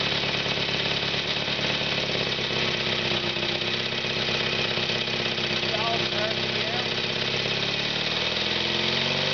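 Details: FrankenBriggs even-fire two-cylinder made from a three-cylinder, front cylinder disconnected, muffler removed, chain-drive distributor firing cylinders 180° apart. A fast, even two-cylinder beat settling steady with no misses or knocks: normal running.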